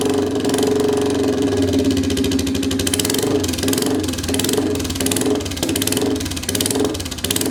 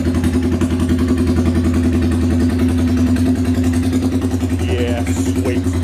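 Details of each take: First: Royal Enfield 350cc Bullet, not run in a while, started with a custom megaphone exhaust fitted with a baffle: loud single-cylinder thump with crackles and pops as revs fall; over-fuelling suspected. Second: Royal Enfield 350cc Bullet with a custom open megaphone exhaust, no baffle fitted: loud, deep single-cylinder thump, steady and even, with no clatter or misfire; healthy.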